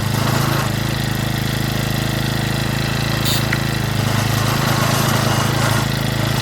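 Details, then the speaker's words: Stihl FS65-4 four-stroke strimmer after repair from oil overfill, warming up: fast buzzy putter about three beats a second, slightly uneven, not running cleanly; steaming, may need deeper investigation. "I think we might need to delve a bit deeper. Right folks, so there we have I mean, you can see it's steaming there."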